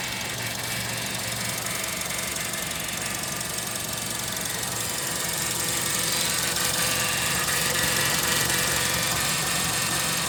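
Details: Honda CR-V: steady, even knock about four times a second over the running engine, with a hissy top end; cause undetermined.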